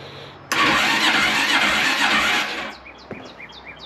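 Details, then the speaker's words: 2003 Honda Rancher 350ES ATV, after installing a new starter solenoid: sluggish whirring crank for about two seconds that never catches, sounding like a dying battery; weak starter motor, later replaced with a new starter, after which it started right up. "it works sounds like the battery's dying but"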